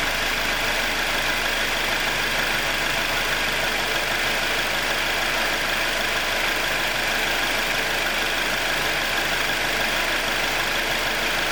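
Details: 2021 Jeep Wrangler 2.0 engine after a cold start, past a ticking cycle of about 90 seconds: steady, even normal idle with constant airy intake hiss, no ticking or knocking.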